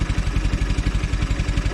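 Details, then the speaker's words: Velocette LE flat twin idling at about 700 rpm after clutch and points adjustment: even, low, regular pulses with no misses or rattles, where it used to have an occasional miss or tick; a smooth, happy idle. "Seems a lot better. It sounds like it's running smoother at idle as well. It always used to have a little bit of a miss or a tick to it sometimes. So that seems a lot happier."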